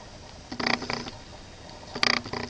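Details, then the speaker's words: Kodak EasyShare Z612 camera recording: short bursts of fast chattering clicks about a second and a half apart, the lens motor hunting as the camera won't stay in focus; cause unknown. "The camera doesn't stay in focus. Why? I don't know. It keeps making this cricketing noise."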